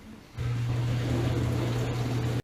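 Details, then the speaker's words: Whirlpool WDF330PAHB1 dishwasher that was not spraying water, leaving standing water: after reassembly, with both pumps and lines checked and no blockage found, a steady low hum with water swish. Wash pump running normally; the fix is unclear, maybe reconnected electrical connections. "so I just kind of put everything back together and restarted at it seems to want to kind of work now checking for leaks"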